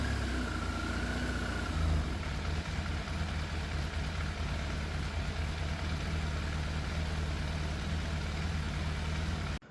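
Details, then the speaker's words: Yamaha FZ750 four-cylinder motorcycle, 41,000 miles, fire-damaged, choke fully off: steady idle, slightly uneven lumpy beat, odd missed pulse; seems a cylinder misses, middle two exhausts cooler than outer two. Idle hard to balance; cause unconfirmed. "The engine does sound like it's missing a little bit, and based on how much heat I can feel coming off some of the exhausts, the middle 2 exhausts, or the exhausts coming off the middle 2 cylinders are a bit cooler than the outer 2 now,"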